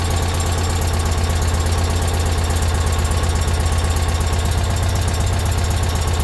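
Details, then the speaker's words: Citroën 2CV flat-twin after oil change and valve clearance adjustment, oil level checked; even low chuffing idle around 160 beats a minute, steady, no odd knocks. Normal idle. "that's sweet lovely I think we'll just um run up temperature make sure there's no leaks from either of the rocker covers"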